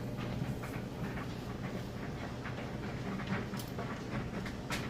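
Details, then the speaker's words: Crosley electric dryer on auto dry, high heat, with a freshly spun washer load: steady soft clatter as clothes tumble in an even rhythm, no scraping or banging; stable, normal tumbling. "Sounds great, it's nice and stable. As you can see, it works perfectly, and what I'll do is let you see that it heats as it's supposed to."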